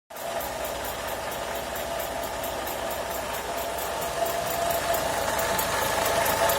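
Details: Renault Logan at idle after alternator repair: light regular ticking about three to four times a second over the idle, with a faint whine; source of the noise unclear.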